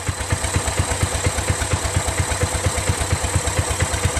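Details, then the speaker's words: Exmark Metro 36 commercial walk-behind mower with Honda GV400 single-cylinder engine, curb find, first run on fresh gas after a recoil starter repair. Quick, evenly spaced firing pulses over a steady low thrum, no skips or clatter; idles smooth, purring like a kitten. "are you guys completely amazed as I am look how that's idling it's purring like a kitten man"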